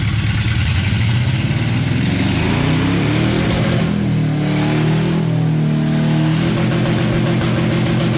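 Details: Project truck with LS swap, after plugging the brake booster and other vacuum leaks; engine picks up cleanly and falls back smoothly through a couple of free revs, steady and even, running healthy.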